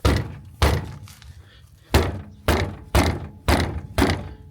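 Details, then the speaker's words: 2007 Hyundai Santa Fe 2: heavy uneven clunks from the front over bumps, from front brake pads loose in the caliper bracket. "Чутно, що там гримихає, як наче машина розпадається."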